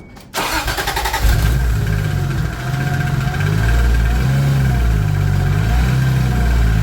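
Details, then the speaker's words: Toyota Supra with modified turbo inlet, faint ticking heard on drive home: engine settles into a hunting idle with a light tick about four per second; owner doubts rod knock, suspects shifted or misreading lower crank angle sensor trigger wheel. "So you heard that, you heard the ticking sound. The reason I don't think it is rod knock is because you could hear the change in the idle. The idle is kind of hopping around."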